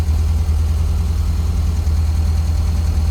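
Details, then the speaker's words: 1971 VW Squareback with fuel injection, possibly 71,000 miles: low loping idle with uneven pulse and occasional dropped beat, wanting to die; idle misfire, owner suspects a bad distributor; smooths out as it runs longer. "But like I say, if I can get that miss out of there, it probably runs just smoother than crap. But when it idles down, you can definitely hear it because it wants to die."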